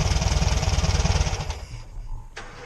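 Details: Air-cooled VW Beetle (Fusca) idling after an old air-filter part left by a previous owner was removed: smooth, even low putter with no rattle, then the engine winds down and stops. Problem fixed.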